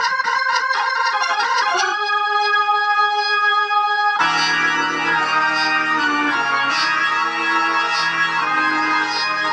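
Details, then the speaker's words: Sustained organ notes and a fuller passage stay clear and undistorted at steady level on the tube amp after replacing cheap 0.047 µF 1600 V and 0.1 µF 600 V capacitors with Cornell Dubilier caps; plays clean. "so let's see what this your amplifier sounds like now since I've made that change and I and I truly believe that we have we've resolved all the issues with your amplifier"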